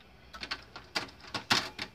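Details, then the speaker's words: Philips FW-M570 stereo after the standby fix (10-ohm resistor fed to the 5 V line at the zener diode): it powers on first try with soft clicks and quick whirs as the drawer and laser settle and the CD spins up. Reads normally. "já liga na primeira já faz aí a leitura do cds funciona"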